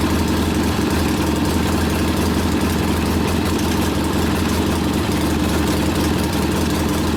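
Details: Rebuilt 1972 Harley Sportster XLCH Ironhead after case repair, restarted with air cleaner refitted, good oil pressure: loud, even lumpy V-twin idle sitting slightly high, steady beat, no knocks or misses; idle to be lowered after break-in; normal idle.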